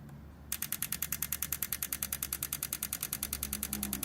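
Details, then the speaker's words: 1968 Honda CL175, supercharged, converted to fuel injection, on E85; injector click-tested via ECU test mode with fuel pump on after freeing a stuck-closed injector; crisp even ticks about eight per second: normal injector click. "Cool. No, that one sounds good. All right, I think we're in business."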